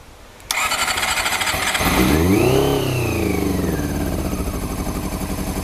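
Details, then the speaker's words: Honda CBR400RR NC23, exhaust can just slid on, fuel pump not connected, petrol poured down fuel pipe plus carb spray: cranks, catches and flares, then uneven hunting idle after being revved; owner thinks it ran out of petrol. "well we're getting there slowly oops no no no no no no no no no no no no no no no no no no oh no i shouldn't have revved it this maybe it's run out of petrol"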